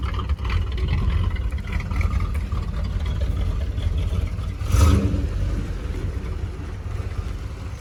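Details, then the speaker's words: 1975 Chevrolet Monza with 350 V8, mufflers removed: deep, even V8 burble under light throttle heard from inside the car on a test drive, brief rise at five seconds; only slightly louder inside, healthy open exhaust note. "It actually sounds like a V8 now. Yeah, not bad. The grown-up power is now louder."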